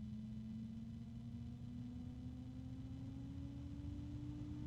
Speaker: there it is and it's already louder than the arrow cool